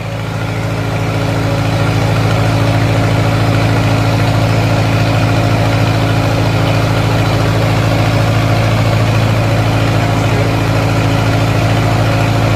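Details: 1950s Lincoln, first start in unknown years after a carburetor rebuild: deep, even idle with steady low firing pulses and no misses or knocks; fires right up and runs smooth and healthy.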